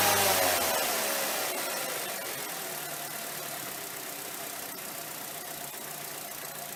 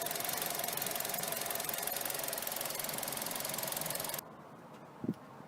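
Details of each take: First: 2.0 petrol Mazda 6, which had a rough, erratic idle, stalling and poor fuel economy, starts after throttle body cleaning, flares briefly, then settles into a steady, even idle with no knocking. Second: Mazda 6 2.0 petrol idling erratically with high fuel use (17 MPG) and stalling at junctions: busy, hissy clatter with slightly uneven beat, before cleaning the dirty throttle body and MAF sensor; rough idle, cause suspected not confirmed.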